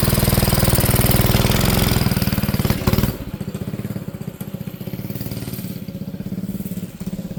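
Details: Manco Streaker mini bike engine: single-cylinder thumping near four beats a second, loud then sagging unevenly; runs lean, only moves under choke, needs richer idle screw and jet (later 125 jet fixed bogging).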